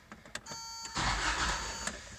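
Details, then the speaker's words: 1991 Toyota 4Runner 22RE with intermittent single-click no-start despite repeated starter replacements, battery charged to about 12.8 V: chime, quick crank catching into steady idle; normal crank and start this time. "and it started this started it wasn't starting before of course I started recording and it starts"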